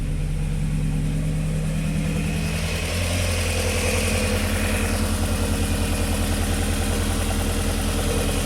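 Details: Fiat Panda (Snatch Panda) misfiring at idle: small engine with an irregular, choppy beat and periodic stumbles, rhythm never settling.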